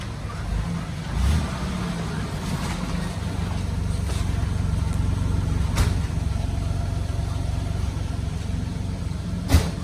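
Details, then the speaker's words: 1985 Pontiac Grand Prix V6, low mileage, garaged, at idle: low steady exhaust rumble with no puffing, ticking or rattles; exhaust sounds good, tailpipe possibly replaced, slight oil smell on intermediate pipe, no major smoke. "The exhaust sounds pretty good. Looks like a tailpipe might have gotten replaced."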